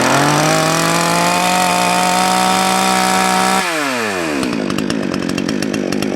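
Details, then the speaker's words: Salem Master chainsaw, low-speed carb jet adjusted too lean: steady high scream drops off, then settles to a fast, crackly idle that stays too high with the chain moving at idle; lean low-speed mixture. "if you noticed when i leaned it out a little too far it sounds like sun's getting really happy but actually it won't have as much top end and you notice the chain started to move that's not where you want your idle"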